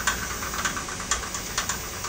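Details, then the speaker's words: Workbee CNC lead screw axis without thrust-bearing tension: irregular sharp rattling clicks over a hissing run as the screw whips; fix adds thrust bearing, extra collar, spacers and 55 mm bolts. Tensioned side showed no whip at about 800 rpm. "to show you the difference between a tensioned access and a non tensioned access that's the type of whip you can expect out of a tension to access this is what you get out of a non tension access"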